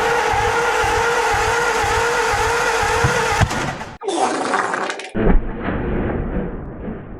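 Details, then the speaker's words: 1949 Ford, a farm find, cranked after an oil change with starting fluid sprayed in. Steady cranking chug, then a sharp loud crack and ragged sputter. Backfire while cranking; sticking valves suspected, though it makes compression. "a big old dirty backfire mint so these birds I guess they're knowing the valves getting hung up so that could be happening"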